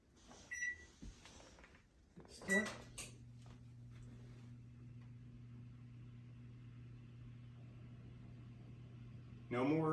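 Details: Samsung range oven, 2010 and later, after replacing the squeaking convection fan motor: after some handling clatter, a smooth quiet steady hum holds with no squeak or rattle.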